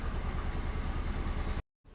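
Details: Honda Civic FD with R18A engine, several sensors replaced, code P0353 returning after clearing: low, lumpy idle with uneven pulsing thump; misfire, ignition coils on cylinders 3 and 4 suspected, not confirmed.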